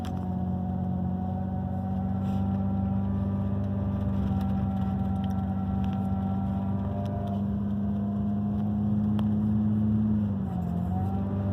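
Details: 2002 Ford Ranger on a cold start: a steady engine drone with a faint thin whine that shifts with engine speed. It lasts only a few seconds at the start of driving and goes away once warm; cause unknown.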